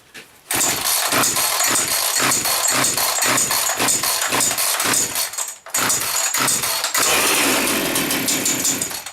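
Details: Chainsaw after its carburetor was blown out: it catches on the pull and settles into a buzzy, steady high-pitched run, with a brief stall and restart. Running normally, though the fuel oil mix seems too thick.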